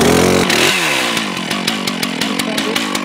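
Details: Fire brigade standard chainsaw with regular chain, started cold: rising rev settling into an uneven two-stroke idle with light rattling ticks; slight clatter while running cold, normal for this saw, no fault.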